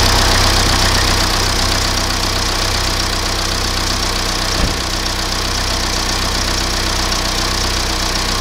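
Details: BMW E87 1 Series, N47D20 177 hp diesel, suspected timing chain stretch: idle with fast regular knocking rattle about four per second, steady throughout; crankshaft pulley found completely failed.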